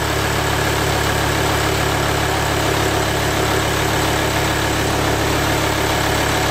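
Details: VW Touareg after oil change and refill (about 8.5 litres, engine had been drained of oil): steady, even idle with a smooth low rumble and no knocks, misses or rattles; engine running healthy, normal idle.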